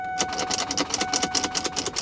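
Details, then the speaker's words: Salvage Lincoln MKX, weak old battery: quick repeated clicks with no cranking, engine never turns over. Not a sticky starter; possibly a locked-up engine from oil starvation or ingested water, though doubted since it has black oil. "In this case, that is not the case. So it could be potentially a locked up motor."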